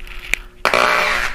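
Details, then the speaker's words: Startup crackle from the left channel of a tube amp fed by an inexpensive Chinese preamp, heard as the amp warms up: a sharp click, then a half-second burst of rough fizzy crackle over faint 60-cycle transformer hum. "the crackle on Startup like I say it's just the left side"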